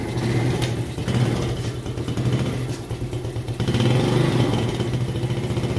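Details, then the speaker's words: Yamaha Jupiter Z1 / Vega ZR single, kick-started before repair, idling with slightly uneven low putter and faint clatter while smoking heavily; cause found to be scored cylinder bore and piston plus worn valve stems. "Oke teman-teman, itu teman-teman sudah lihat, itu baru hidup saja motornya sudah ngebul asapnya ya teman-teman."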